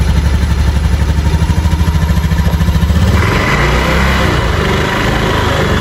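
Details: Honda Beat FI smooth-starter scooter, engine running: quiet at idle but a rough coarse growl from the CVT/final drive when throttled; suspected worn final drive shaft or pulley bearings.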